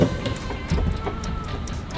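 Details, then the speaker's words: Turbo Chevrolet Nova with a brand-new transmission: light, irregular clicks as the driveshaft is rocked by hand, seemingly from the transmission end; U-joints and rear look fine, and the cause of a hard click when put in gear is unexplained. "I turn the drive shaft back and forth. Like you can hear it click, click, clicking."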